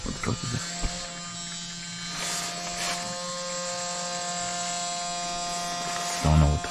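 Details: Truck air system after a low-air-pressure warning on a mountain climb: a steady, even buzz over a low hum; the compressor was suspected, but the fault turned out to be the compressor line.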